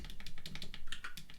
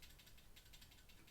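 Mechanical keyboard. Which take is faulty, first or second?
second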